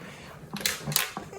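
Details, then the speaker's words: Zadro TWB01 towel warmer, dead after little use, partly disassembled: short irregular clattering as unit is tipped, a loose piece rattling inside; turned out to be from a blown capacitor (EC3) on the power supply. "can see try to listen if there's anything rattling still something's still rattling so it might be inside the"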